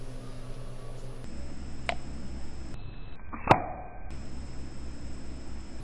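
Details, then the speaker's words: GM V8 AFM/DOD lifter, a good one held out of the engine next to the camera and compressed slowly by hand; one dull thunk as it bottoms out, with its locking pins moving past the hole, which is normal. "Did you hear that thunk? Not only was that this bottoming out, but those are those little pieces."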